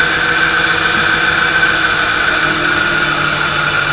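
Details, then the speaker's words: Nyx e-bike hub motor on an Adaptto controller at about 50 km/h during setup: steady mid-pitched whine with a rough buzzing edge; motor timing untuned, being adjusted to around 558 microseconds for the smoothest running. "so try to find the right area where the sound is in that case it's about 558 microseconds you should have value maybe slightly different this is normal just find the smoothest radiation of the motor"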